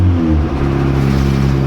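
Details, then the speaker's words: Boosted Honda Civic EG on its first start with a new turbo setup; the engine drone drops as the throttle closes, leaving a fluttering chatter from the turbo: turbo flutter on throttle lift. "hear the turbo like flutter"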